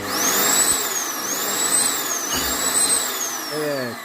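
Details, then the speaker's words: Arçelik electric vacuum cleaner on 220 V after switch repair: steady high-pitched motor whine with an even, strong suction rush and no crackle or cutting out; switch fixed, runs normally. "Bakın Şu sesi duyuyorsanız zaten bu alet çalışacaktır arkadaşlar"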